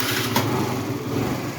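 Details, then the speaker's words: 50cc moped started after fitting a new battery: small single-cylinder scooter engine buzzes at a steady, slightly rough idle and keeps running. "Hit the start button to see what happens. Oh yeah. We running."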